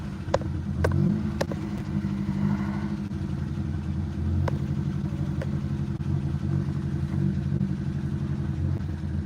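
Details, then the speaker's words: 2007 Honda Civic 1.7 litre running rough, stalling while driving, misfire on cylinders three and four; rough, uneven idle with stumbling beats and clicks over a low rumble, runs better with throttle; suspected two bad ignition coil packs. "So I'll start it up. It'll run like crap. If I give it some gas, it'll start running and trying to stay running."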